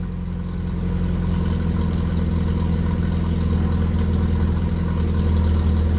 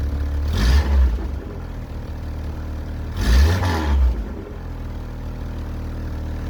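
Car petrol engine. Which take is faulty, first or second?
second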